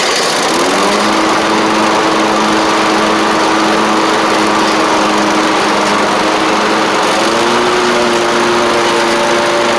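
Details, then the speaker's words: Troy-Bilt zero-turn mower, 2 years old, Kohler 24 hp 7000 series, after fixing water in fuel and a poorly replaced carburetor; smooth even engine drone holds steady, rising slightly as it drives off, no misses or knocks; running normally under load. "Otherwise, you can hear it's running good. I get it out of the garage. Test it out here. Sounds good."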